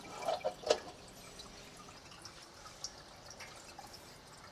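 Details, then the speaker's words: Reef aquarium sump with filter sock silencers fitted, skimmer off, about 3 ft away: a few soft drips and faint trickle over near silence, staying under 50 dB, sometimes 51; quiet sump drain. "and this is definitely quieter as it drops down under 50 D sometimes hitting 51 but I think that is the max definitely quieter than without the silencer"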